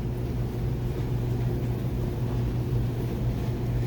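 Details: Dryer that had a high-pitched continuous squeal, run on a new belt after the old frayed belt was replaced and the idler pulley oiled: even low drum rumble and steady motor hum with no squeal or chirp. Normal running.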